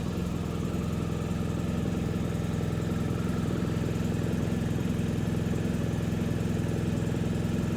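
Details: BMW R1250 GSA boxer twin idling just after radiator guards were fitted, checking for vibration or rattles; steady, even idle with a smooth low pulse and no rattles or ticks, engine sounds healthy.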